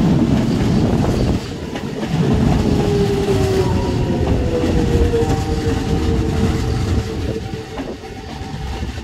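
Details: Toei 5300 series set 5315, Mitsubishi GTO-VVVF, on Keikyu line rapid limited express (Misakiguchi–Kanazawa-bunko), inside the car: wheel clatter under thin whistling tones sliding in pitch with speed, abnormal inverter noise.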